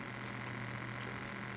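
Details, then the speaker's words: Small DC motor in a Sansui SE-9 graphic equalizer under repair, running at 3.5 V and 1.5 mA: faint, even buzzing hiss with a thin steady whine. The brushes are worn and the commutator is marked; brushes need replacing. "This sound from the inside is the sound of used brushes, I turned them over to check the motor."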